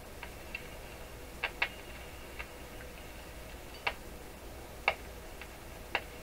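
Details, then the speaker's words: Rogers 11RA651 shortwave radio after replacing paper capacitors, powered through dim bulbs then full power, external antenna, volume down: sharp irregular crackles over quiet hiss persist; remaining capacitors, a resistor or a tube suspected, not confirmed. "Well, we still have some more questionable capacitors up in this area. Perhaps those are the guys who are doing it, making the crackling sound."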